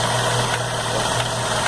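At idle there's a light metallic rattle over the engine hum, ticking about twice a second; that's the idler gear chattering.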